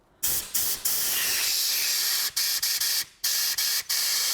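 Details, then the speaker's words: 2006 Toyota Hilux 2.5 D4D diesel, crank-no-start with no codes: compressed air blown into the tank feed line hisses straight back out in sharp bursts; fuel tank line seriously blocked and the diesel is dirty. "the air is just coming straight back. We have a serious blockage. I can actually hear the tank."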